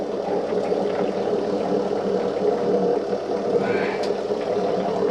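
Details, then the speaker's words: Small oil extractor pump drawing oil through a tube down the dipstick of a Mercruiser 8.1L Horizon big block in a 2003 Sea Ray 340: mid-range drone with uneven gurgling rattle, aerating as the oil pan nears empty. "You're gonna drip a little oil whenever you do stuff like this, and it sounds like my oil pump is starting to aerate, which means we're getting to the bottom of the oil pan."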